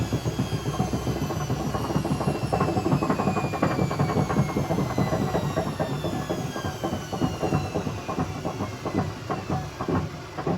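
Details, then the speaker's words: Hotpoint BHWMXL145 washing machine spinning up toward 1400 rpm: heavy repeated thumps and clatter build with rising motor whine as the drum wobbles on a drum spider with two snapped arms. "wow wow just wow um wow that's insane I don't think the Bosch was as bad as that when I first got it as early one arm the snapped was clearly this one two arms are snapped"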